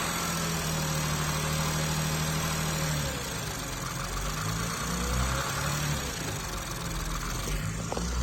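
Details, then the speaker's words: BMW M240i with newly built B58 engine (rated to 1000 whp) after catastrophic failure, first start: smooth, even low idle with steady hum, no ticking or knocking; runs healthy, like stock. "Sounds exactly like the stock motor. I can't believe it. It sounds so smooth."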